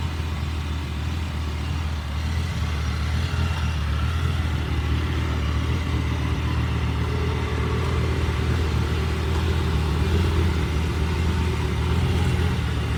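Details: 2006 Lamborghini Gallardo Spyder (pre-LP) after Hurricane Helene: deep idle rumble with an uneven, loping pulse about four beats a second; rough idle.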